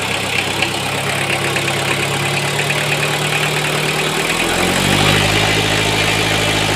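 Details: Toyota 1C-II diesel with an aged timing/drive belt idling with an uneven, rattly clatter around four per second that doesn't smooth out; strange noise, source not confirmed.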